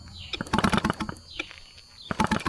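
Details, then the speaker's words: Cheap used outboard boat motor, spark test with magneto wire unplugged and wet Champion plug (NGK BR5HS specified): sharp, crisp snapping zaps in quick bursts while pulling over; strong, healthy ignition spark. "yeah, she's got good spark, boys. You can hear her zapping. Real good."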